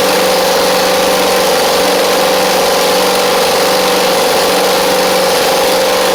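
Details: Husqvarna Z4822 zero-turn mower: steady loud idle with a faint uneven pulse, one side sounding weak; the right cylinder doesn't seem to fire, so a right-side carburetor issue is suspected, jets needing cleaning.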